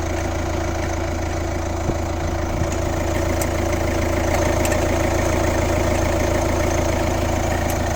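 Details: Kia Ceed 1.6 CRDi (115 hp, D4FB diesel) at steady idle: a regular tick about 3.5 times a second rides over the diesel clatter. The source is not pinned down.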